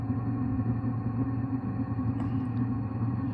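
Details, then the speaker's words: Diesel heater after carb cleaner was sprayed through the fuel line to clear the atomizer screen and fix white smoke; restarted, ignited first try, ramping up with no white smoke; quiet even low hum, steady fan tone, no popping or surging; normal running. "white smoke. Ramping up. I could hear it ignite on the first try."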